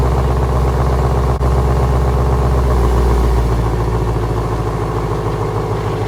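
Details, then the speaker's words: 2017 Ford Mustang GT (S550) test drive after replacing the left rear half-shaft thrust washer: smooth, steady low engine drone under way, no clunk on drive-reverse shifts or load changes; rear driveline now quiet and healthy. "I think she's fixed yeah I went down the driveway did whatever I could to make it to make that noise and it didn't I think we're [Music] good"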